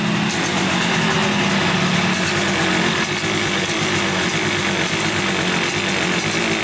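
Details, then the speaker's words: 1971 Yamaha CS200 twin two-stroke, sat over 17 years, recently revived: rough, uneven, loping idle instead of a crisp twin rhythm; owner suspects one cylinder dead, not sparking; later spark found, left cylinder 125 psi compression. "This one's not sparking or anything. I think it's only running on one cylinder."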